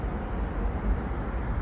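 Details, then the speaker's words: Tesla Model 3 at a DC fast charger with a cold battery, drawing 465 A at about 168 kW: a steady, even whooshing roar of the battery cooling fans with no ticks or warble. Normal cooling operation. "you can hear the cooling fans kicking on on the model 3 here"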